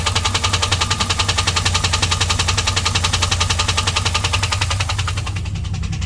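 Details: 2001 WS6 LS1 5.7L V8 idling after engine ran dry of oil (pressure to 0), refilled: sharp steady tick about 160 a minute over smooth idle; started at high rpm only, cause unknown.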